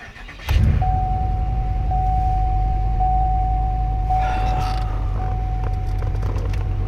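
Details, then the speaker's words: 2008 Pontiac Grand Prix 5.3 L LS4 V8 started after serpentine belt replacement (Dayco 6PK2900): brief crank, quick catch, deep steady idle with no belt squeal; previous squeak gone. "Sounds good so far. And there it is. Absolutely no noise coming from this belt, which is good."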